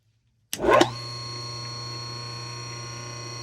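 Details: Antique 100-plus-year-old General Electric 1/6 hp wound-rotor induction motor on its first test run after cleaning the contact plate, before cosmetics. A switch clatter, then a smooth, steady mains hum with no knocks or rubbing: runs healthy.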